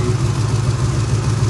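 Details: 1980 Chevy K10 V8 during restoration, warming up: cranks easily and settles into a steady, even low rumble with no knocks or misses; normal idle.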